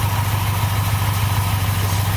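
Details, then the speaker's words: 2002 Chevy Impala 3.4 with P0300 random misfire code, runs rough, idling after start: low, uneven stumbling rumble; rough idle with misfire; broken bleeder valve and a vacuum leak found. "all right hear that misfire let's go and look at the engine"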